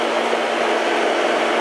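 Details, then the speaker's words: AC outdoor unit whose compressor had been in thermal overload (bad capacitor found), restarted after the windings cooled and closed: steady, even hum and airy rush with no labouring or clicking; compressor running normally. "sounds like we got a little compressor action now"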